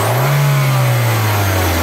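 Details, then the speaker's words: Reference car with an exhaust system in perfect condition, used for comparison against a 2010 Hyundai Accent with code P0420: a strong, steady drone rising and falling with revs, no rattles or puffing, healthy. "tenemos este vehículo de referencia para ver cuando un vehículo se encuentra en perfecto estado en su sistema de escape"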